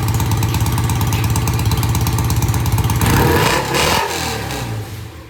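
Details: BSA A65 motorcycle after carburetor cleaning: easy start, even regular firing pulses at idle on both sides, then a quick rev that winds down with no knock or miss; normal idle and rev.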